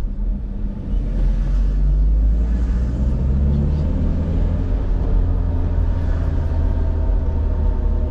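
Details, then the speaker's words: 2011 Toyota Hiace van, usually heavily loaded, driven slowly: deep, steady drone and hum over the road rumble, steady with speed; suspected front wheel bearings or rear differential, not confirmed. "you hear that can you tell me what that noise that's the front wheel bearings or the rear actual dip mostly rear actra dip on the van is very noisy"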